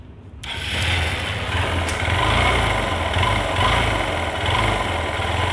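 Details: Hero Hunk motorcycle with mileage, top speed and engine sound problems: single-cylinder idle with an uneven, raspy mechanical chatter over the low pulse; cause unclear, compression mentioned.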